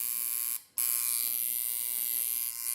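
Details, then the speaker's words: Unused coil tattoo machine with rubber bands fitted, newly assembled and tuned by ear and feel, running about 7–7.5 volts dry (no ink yet): steady, high, even buzz with constant pitch and one short dropout; normal smooth running. "Honestly, I just go by feel and sound. It sounds good, it feels good, and don't forget that once you got your ink on there and everything, you know, it's gonna lubricate it and it's gonna run a tiny bit faster, a tiny bit better, more efficient."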